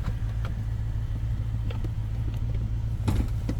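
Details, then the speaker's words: 2005 Maserati Quattroporte, 4.2 litre Ferrari V8, after repair (new battery, earth cable sorted; earlier rough running): idles perfectly, responds to throttle, no dash warnings. Steady, even low rumble, no misses, knocks or hunting; normal idle. "it's idling perfectly, no warnings on the dash, no random lights flashing like there were in the video earlier on, which was actually yesterday."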